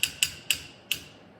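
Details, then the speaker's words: 1979 John Deere 314 garden tractor, starter removed and jumped directly: four sharp clicks with no motor whir. The starter is burned up and won't turn; it was replaced with a new starter. "this starter is no good I can't even jump it to get it turning nothing"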